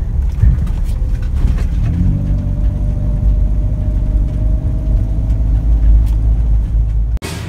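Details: Toyota Avanza / Daihatsu Xenia cruising, heard from cabin: faint steady whine over road rumble rising slightly with speed; workshop confirmed failed alternator diodes.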